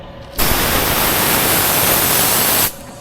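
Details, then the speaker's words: Yard jockey hostler truck pretrip inspection, air line/tank drain pulled to purge moisture; sudden loud steady hiss about two seconds then clean cutoff; normal air tank drain blowdown. "I would check my air lines to make sure, to drain them to make sure there's no moisture in the lines."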